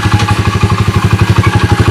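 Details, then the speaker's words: SDG 107cc pit bike single, damaged 3rd and 4th gears and locked kick starter, before Lifan 125cc engine swap: even steady putter around eight beats per second, no knocks or misses; idling cleanly. "as you guys can see it's dark cheesy as you guys can hear it sounds pretty good"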